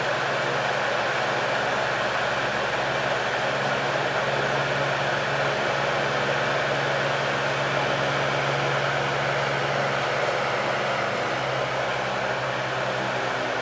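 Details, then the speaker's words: 1970s Lakewood HV18 fan, high-torque motor drawing more amps: steady even rush of air with faint low motor hum, no knocks or wobble once up to speed; startup torque shakes the fan with a clunk, but runs smoothly. "this motor has a ton of torque it really does it shakes the whole fan you get like a clunking when it starts up that's how much torque it has"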